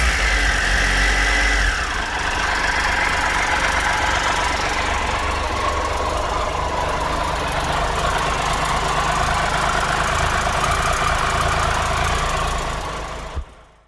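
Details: 2013 Triumph Tiger Explorer, 34,000 km, idling after new cam chain, hydraulic tensioner and header gaskets: steady idle with only a faint, even mechanical tick, then shutdown; no excessive ticking, normal idle.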